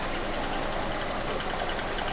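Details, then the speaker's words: 2013 Kia Forte EX after engine swap, first start at idle: fast light metallic ticking at engine speed from the flywheel/flexplate where a torque converter bolt is not installed, separating from the mount; flexplate tick. "I just wanted to let you guys know that tick is basically a flywheel with the basically the torque converter bolt that's not installed it's it's flowers separating from the mountain bracket and that's where you're getting that tick"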